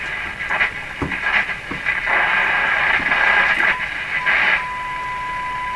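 Only hiss, crackle and a steady whistle near one pitch, with no station coming through; the AM side is badly out of alignment.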